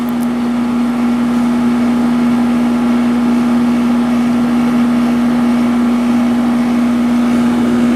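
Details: First Sharp 8500 BTU window air conditioner test run after installation: steady, even hum with low electrical drone and smooth air rush, no rattles or knocks; normal running.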